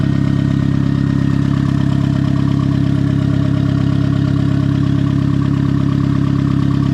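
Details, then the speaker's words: Turbo Miata on first start with a hood dump pipe and new bearings, at idle. A faint, steady high-pitched hum sits above the engine note; the owner suspects the turbo, unconfirmed. "There's kind of a high-pitched squeal that's happening. Not real sure what that is. It's not like a squeal, it's just like a high-pitched hum. For all I know, that's coming out of the turbo."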